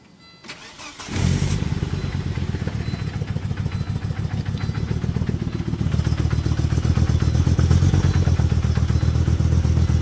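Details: Volvo S70 petrol engine cranks, catches and settles into a lumpy, uneven idle with a stumbling cold-start misfire; the cause is unknown, but a full tune-up solved it.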